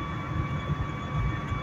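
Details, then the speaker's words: 2008 Dodge Caliber driving: steady high-frequency hum over road rumble, appears around 50–60 mph and fades near 40, tied to ground speed; owner suspects a failing wheel bearing, unconfirmed. "I have no idea what the [ __ ] this is this makes no sense it's tied to ground speed somehow this noise"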